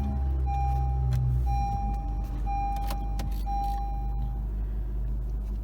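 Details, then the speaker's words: 2013 Honda Civic 1.8L, cold start at 6 am: heavy low buzzing rattle that goes away when warm, initially feared transmission; fixed by replacing serpentine belt and tensioner. "alrighty so it's like 6:00 in the morning and this is probably the most you will ever hear this sound"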